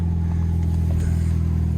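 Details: 2007 Chevrolet HHR at impound auction, about 180,000 miles, idling: steady even low engine hum with no knocks, ticks or stumbles; normal healthy running engine.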